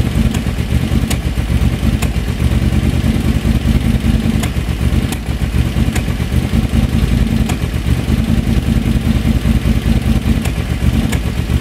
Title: BF730 carb misfire